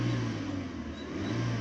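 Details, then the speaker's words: Suzuki Swift 1.3 after fixing a misfire: steady even low idle hum with no stumbles or missed beats; now smooth. "क्योंकि पहले किस तरह की इसकी वापसी तो आवाज को स्मूद हो गई है"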